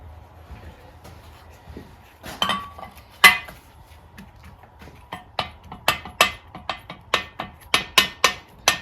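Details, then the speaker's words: Second cylinder head from the Kohler engine of a 1992 Bolens GT2000 tractor, rocked on a flat plate: sharp metallic clacks about two a second; warped worse than the first, seemingly all along with maybe a high point in the centre. "By the sounds of it, this one is worse. Seems to be warped all the way along, with maybe a high point in the centre or something like that."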